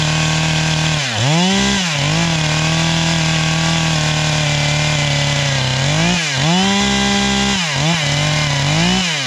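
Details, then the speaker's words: A "440" two-stroke chainsaw cutting oak: howls at high pitch, revs dipping and soaring with load; owner suspects it is running too lean, screaming at high revs and needing a carb tune, and it later died, possibly out of gas. "That sounds too lean, right? It's just screaming too much."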